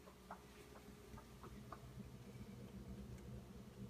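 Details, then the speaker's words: New Whirlpool French door bottom-mount fridge with knocking from its first evening after delivery, recorded up close: a handful of sharp, uneven knocks, not a hum. It recurs several times daily for an hour or more, louder than the TV; source not pinned down. "it. So, it's not a hum. It's definitely a knocking. It happens several times a day for an hour plus at a time."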